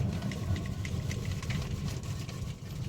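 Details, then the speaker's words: Honda Amaze braking after suspension and steering repair with new parts: only low road rumble, no clunks or knocks from front end; quiet suspension. "मैं break लगा रहा हूँ। . किसी भी प्रकार का कोई आवाज नहीं।"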